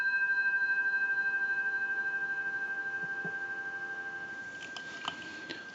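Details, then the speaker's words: Repaired and converted British desk telephone on final checkout, handset held up to the microphone: a steady, continuous low dial tone with a gentle beating warble that fades, then a click. Normal dial tone. "We'll go ahead and give you some dial tone."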